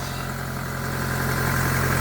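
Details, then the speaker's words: 1999 Mitsubishi Pajero Pinin/iO petrol engine just after high-pressure fuel pump replacement fixed its no-fuel no-start: steady even low-hum idle, no misses or knocks; normal. "anyway let's see if it starts without the bottom piece oh my god it worked it's running like a dream"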